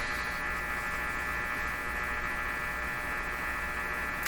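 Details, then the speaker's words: Hallicrafters S-38 four-band tube radio tuned to a quiet spot giving a steady electrical hum with a thin buzzy edge; interference suspected to mix noise arriving near 450 kHz from the antenna with noise converted via the local oscillator in the mixer tube. "could be this sound we're hearing is is a bit of a i don't want to use the word mixture but i will mixture of these two noise signals one coming in at 450 right from the antenna and the other one being converted in through the use of the local oscillator"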